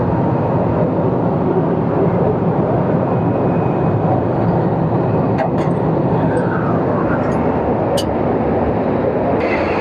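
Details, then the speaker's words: Midea 30-ton R-410 package unit with two 15-ton systems, after condenser leak brazing and a condenser fan motor repair, just started with the motor running: a steady, heavy rush of a large fan over the compressor, free of knocks or rubbing. Normal operation. "अभी हमारा स्टार्ट हो गया ऐसी, ठीक है। हमारा system start हो गया और हमारी ये मोटर भी स्टार्ट हो गई है, ठीक"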